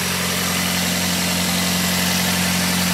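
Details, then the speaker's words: 2004 Pontiac Vibe, four-cylinder, idling after a January cold start: steady idle with a hissy, raspy puffing over the exhaust note from a known exhaust leak; the car otherwise runs perfectly. "This car doesn't give any problems at all. It's got an exhaust leak on it. It's not bad."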